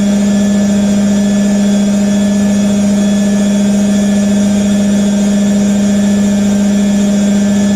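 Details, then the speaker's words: IKEA RENLIG IWM60 integrated washer, first wash on Cottons Standard 60°C, spinning up through 450, 650 and 850 rpm: steady low hum and whine with a rough, grainy edge, thought to be motor bearing sound; cause unconfirmed. "yeah 450 650 850 creting quite a nice effects that sound of the motor bearing"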